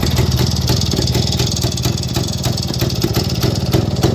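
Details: 1958 Kovrovets K175 two-stroke single, just assembled, electrics not working, started via 220V rectified from 6V: rapid, slightly uneven popping idle, steady with no knocks or rattles; normal idle.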